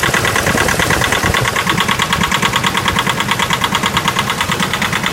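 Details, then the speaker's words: Nissan NP300 YD25 diesel, cold start at minus 15 °C: hard regular knock about three per second over rough idle, heavy blue smoke, noise fading as it warms; cause unclear. Cold start knock. "Стук двигателя какой-то. На холодную стучит сильно мотор. Вот он пошел стук."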